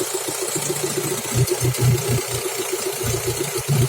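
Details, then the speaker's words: F16D3 engine at idle: an even pulse with a raspy growl from a holed, leaking exhaust silencer; the engine itself runs evenly, with no misfire, shaking or camshaft rattle. "Рычит пробит глушак, сам двигатель не троится, не трясется, распредвалы не гремят."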